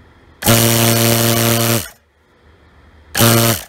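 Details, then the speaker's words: Harbor Freight 2-stage vane vacuum pump switched on briefly without oil: two short loud buzzing bursts with harsh hiss; oil very bad, pump tearing itself apart. Vacuum pump running without oil. "okay I really got to stop running this without oil on it because it's just tearing itself apart the oil is very bad"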